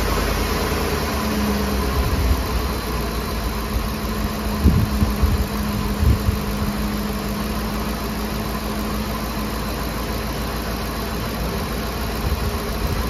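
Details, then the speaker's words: Ford F-150 5.4L Triton 3V V8 at first start after replacing the VCT/VVT solenoid: smooth, steady idle with a few small bumps and no knocking or surging, only the usual ticking; a healthy engine with no leaks or vibration. "what do you guys think sounds sounds good healthy engine"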